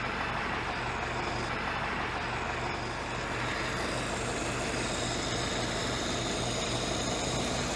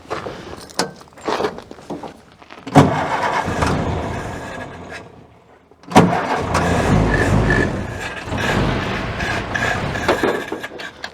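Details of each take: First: Ford-script Willys army Jeep flathead: an even, settled low rumble with a steady beat and no hunting or stumbling; idling normally. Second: Ford-script Willys WWII army Jeep with the air cleaner off: it catches in short bursts, then dies and stalls when the throttle is released and won't hold an idle; dirt is suspected of blocking the carburettor idle circuit.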